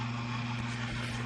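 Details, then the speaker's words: GE Profile Opal ice maker after replacing failed 12 V DC submersible water pump: steady low hum, constant tone, no knocking or rattling; new pump running smoothly and moving water. "I could see that there's water now pumping. I can hear the pump and feel it."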